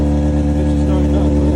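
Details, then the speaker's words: Honda CBR600 F4i that had no power and wouldn't start, started after jump-starting the battery, no solenoid change needed: steady, even idle, no misses or knocks. "got the bike started up didn't even need solenoid none of that just needed the battery to be jumped"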